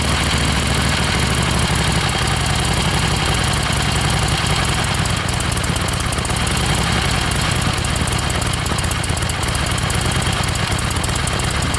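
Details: 1976 Harley-Davidson XLCH Ironhead V-twin, said to start and idle fine but misfire a lot when ridden: loud, lumpy but steady idle with no dropouts or stumbles; misfire not showing at idle.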